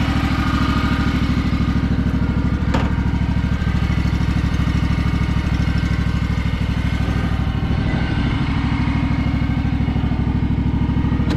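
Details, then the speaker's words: Craftsman DLT3000 lawn tractor with a factory Honda 16.5 hp single engine, test run after the repair (oil checked, water purged from the fuel): a smooth, even single-cylinder thump at steady speed with no misses, knocks or rattles; it sounds healthy. "this thing is super nice guys really really nice tractor everything on it is really clean it's just that tiny little bit of surface rust but thing sounds awesome"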